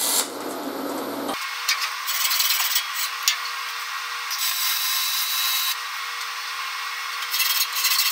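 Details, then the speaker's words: YesWelder MIG250 Pro MIG welding aluminum in manual mode above 21 volts, the "sweet spot": a smooth, even hiss with a faint constant hum and no popping or crackle, a stable spray-transfer arc. "that's that's the sweet spot guys so you get yourself up above 21 volts in manual mode then just start playing with the speed"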